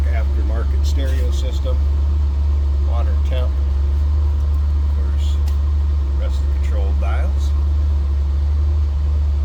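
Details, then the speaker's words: 1985 Jeep CJ-7 4x4 inline six converted to propane, 50,902 on odometer, in neutral: steady, even low idle drone with no knocks or misses; normal healthy idle. "Slip around to the back so you hear this run. Sounds like you expect. Normal CJ-7 sound, inline 6."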